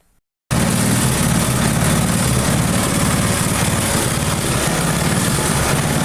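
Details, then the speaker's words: Briggs & Stratton engine on a neglected free rototiller runs with a slightly uneven, pulsing beat, speed drifting up and down; mild hunting, owner hopes more runtime will settle it. "It sounds like it's running just fine. It is hunting a little bit, but yeah, again, I say this in every video, but maybe a little bit of a runtime will change that."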